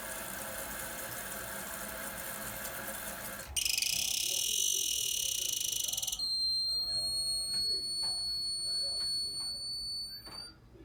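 Rushing hiss of a refilling toilet tank turns into a steady, piercing high-pitched squeal from the fill valve.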